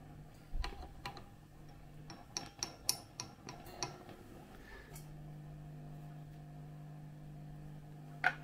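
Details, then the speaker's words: Hiwatt 100R valve amp: light finger taps on one valve come through the speaker as sharp clicks over mains hum. The valve is microphonic, not the socket; a replacement valve made it silent. "so we need to investigate that tube I really hope it's not that too a shame if it is but we shall have to see"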